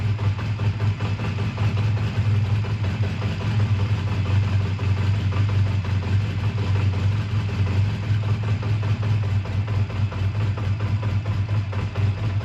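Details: A 2001 Honda Rebel, tired but running well, idles with a steady, even low thrum and no misses, rattles or hunting, after a choked cold start at 22° and a suspected slight fueling problem with a fuel drip; normal idle.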